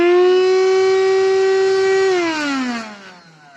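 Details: Redmond RV-UR363 vacuum cleaner, used without its filter, drones loudly and harshly then winds down with lost suction; dust and hair got into the motor, debris in the impeller has unbalanced it.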